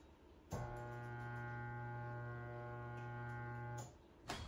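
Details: Old rooftop RV air conditioner on a fifth wheel camper, rebuilt with used parts, fan switched on: steady low electrical hum about three seconds with no fan whoosh; motor energized but not spinning, compressor condition unknown.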